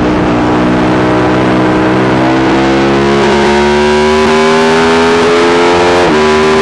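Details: Yamaha YZ450 single in a supermono race bike revving with a slowly rising note that stumbles sharply every couple of seconds. Constant misfire, worse after a couple of laps; carb, fuel system, breathers, ignition, coil, generator changed without cure.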